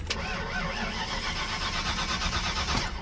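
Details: 1992 Mustang GT Foxbody 306 that stumbled, backfired and quit on the highway; fuel pump heard priming, owner suspects the TFI ignition module or coil wire. Starter churns evenly about three seconds with steady compression pulses, never catches: cranks, no start.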